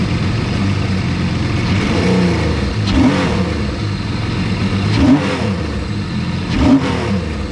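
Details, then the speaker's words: 155hp Seadoo jetski engine in a converted sail boat, running after the fuel pump finally primed, which the owner suspects still needs replacing. Catches and holds a steady run, throttle blips rev cleanly; running and revving normally. "Oh, it does sound a lot better. Sounds much better."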